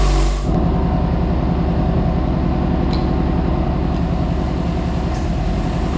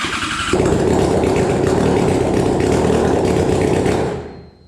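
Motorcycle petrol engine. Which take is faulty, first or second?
second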